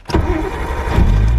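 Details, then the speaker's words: R32 Nissan that would only click its ECU on a flat battery, started with a jump: brief crank, then it catches at once with a deep rumble and settles into a steady idle, some black smoke from unburnt fuel; normal start. "there you go oh look at that good idle so yeah flat battery"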